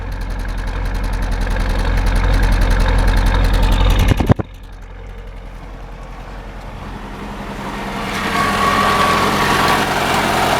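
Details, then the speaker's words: 1985 Chevy Cavalier CS station wagon, start of a restoration project, idling with an uneven, lumpy beat, recurring stumbles and visible engine shaking; misfire at idle, cause not yet found. "All right. You can hear that misfire."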